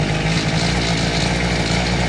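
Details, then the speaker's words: Two-stroke power auger after primer bulb fix and fuel return tube repositioned: high, buzzy drone holding steady speed without stumbling, running properly. "Just sprayed it in the carburetor and fired right up, stayed running."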